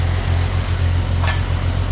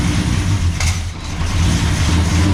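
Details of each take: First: 1969 International C1100 pickup with Valiant 265 Hemi after fixing the earlier problem, no radiator fitted: deep, even rumble with no stumble or hiss, "sounds like a champ now"; smooth running. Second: 1969 International C1100 pickup with Valiant 265 Hemi six, first start after sitting years: lumpy uneven idle with wandering beats; rough running from vacuum leak, open brake booster hose; owner also suspects lifters or dodgy plugs.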